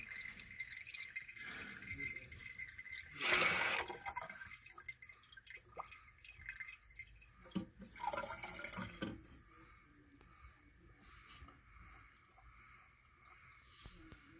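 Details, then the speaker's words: Mansfield toilet being re-serviced: a steady hiss of water trickling into the bowl with intermittent drips, never shutting off. The owner suspected the fill valve, but the flapper gasket may not have seated, so water leaks past the flapper and the tank keeps refilling. "okay you can hear it running it looks to me like the flapper is bad might be that the gasket didn't sit right well i thought it was the fill on the top of the it could be let's take a look here"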